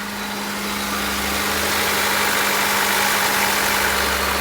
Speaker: I did not think this car would run. just hope to make him proud with this one. This thing seems pretty healthy.